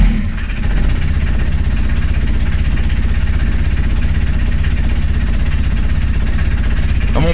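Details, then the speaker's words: Microcar with a second blown head gasket, coolant entering the cylinders and being lost: small diesel chugging unevenly, steady deep thump with a hunting, unstable idle. "peuple on a un ralenti qui est pas très stable c'est une des méthodes déjà qui peut vous faire identifier un problème de joint de culasse"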